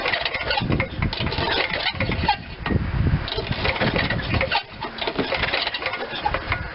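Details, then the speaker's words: Old Ariens RT7020 rototiller, Tecumseh HH70 7 hp horizontal-shaft engine, long unused: uneven pull-over chuffing with handling noise, never firing during spark plug test; cranks, no start, compression felt, owner thinks no spark. "i'm thinking that's no spark"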